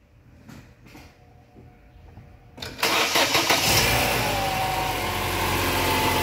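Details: Chevrolet Cruze after repair of misfiring, exhaust smoke and excess crankcase vacuum that made the oil cap impossible to remove: a few clicks, a brief crank, then it catches cleanly into a smooth idle. It starts healthy.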